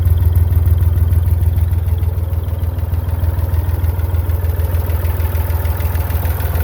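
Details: Massey Ferguson 35 Perkins diesel tractor after a cheap partial rebuild: low, even idle at a steady pace with no clatter or hunting; runs normally.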